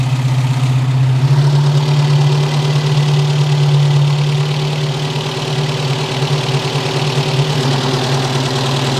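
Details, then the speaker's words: 1973 Opel Manta A, 1.9 L CIH engine warming up after head gasket and valve seal job: smooth idle with light quick valve-train ticking; loose valve lash, hot valve adjustment to follow, a couple of valves later needed adjusting. "there's definitely a little bit of valve train noise so it's going to be good to finalize the valve lash setting"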